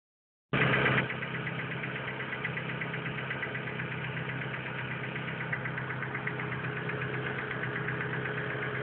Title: motorgeräusch